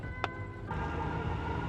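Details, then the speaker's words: Dodge Ramcharger with a carbureted V8 at a rough idle during carburetor retuning, with a steady high-pitched whine. The owner suspects the TorqueFlite 727 automatic, low after leaking fluid from its shaft, and partly the power steering. "I don't know if you can hear that high-pitched whine. I think part of it is the power steering, but it's definitely the transmission because it's pissed out all the fluid."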